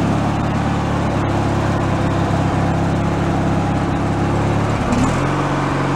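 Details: Free derelict Craftsman riding mower after repairs, function check with deck engaged, spindle checked not bent: steady engine drone, deck fairly quiet with even hum, no spindle bearing grinding or squeal; all gears work; normal mower deck running.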